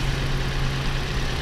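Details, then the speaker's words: About 2013 Toyota RAV4 at idle after swapping coils: low, lumpy idle with slightly uneven beat; misfire stays on cylinder 3, so spark plug suspected, not the coil. Cylinder misfire. "off. Yeah, the misfire is still on number 3 cylinder."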